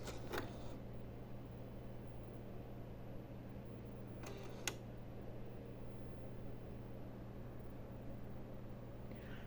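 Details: PS5 disc edition that won't read any disc: three sharp clicks over a steady low fan hum, with no disc spin-up. Stuck eject/insert gears were fixed by disassembling the drive and realigning the white plastic parts, likely stuck from a disc left inside through a week of on/off cycles.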